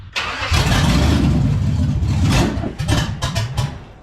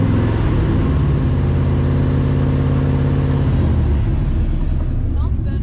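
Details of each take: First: 1948 Dodge pickup with a 5.3 LS swap, fuel-injected, pedal pumped before starting; it cranks, catches and revs, then the idle stumbles and pulses unevenly before settling. Runs but needs tuning. Rough running. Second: 1948 Dodge pickup with a 5.3 LS swap, started before a long tow trip: a steady, deep idle with an even beat and no missed firing pulses. The engine runs smoothly.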